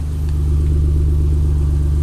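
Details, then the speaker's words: Ford Cougar (built May 2000), 2.5 V6 of about 170 hp, heard from behind the car: a smooth, even low hum with no knocks, ticks or wobble. This is a normal idle from a well-balanced, quiet engine. "il est beau et ça fait pas de bruit je vais te montrer voilà là on est derrière tu entends rien faut vraiment se mettre à côté"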